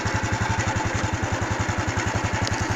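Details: Honda Wave 110i that would not start, after new genuine fuel pump fitted, starts immediately; steady, even single-cylinder putter at about 220 pulses a minute, no misses or stumbles, healthy settled idle.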